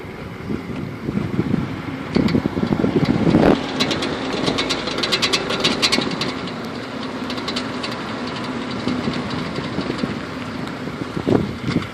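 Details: Audi A4 making low-speed left and right turns in a parking lot: irregular sharp clicks in bursts over engine rumble; cause not found.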